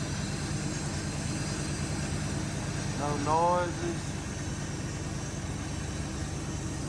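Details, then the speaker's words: 2002 Ford F150 4x4 with newly installed 5.4L V8 long block: smooth, even low rumble at steady idle, no ticking or puffing from the manifolds; running clean with no exhaust leaks. "Sounds good. Sounds real good. No exhaust leaks."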